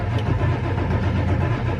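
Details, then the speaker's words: 1999 Ford F350 7.3L Powerstroke diesel, about 52°F, not a glow plug issue: steady low churning crank for roughly 15–20 seconds before starting with a little puff of smoke; hard start from a weak oil pump. "So, even when it started, we got a little puff of smoke, but for as much as I was cranking on it, that's not horrible."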